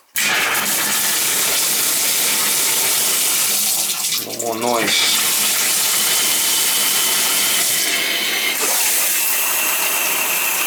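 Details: Tub shower valve after spindle replaced to cure banging and a dripping diverter leak: steady rushing water with an even hiss, no banging or hammering; valve flowing quietly.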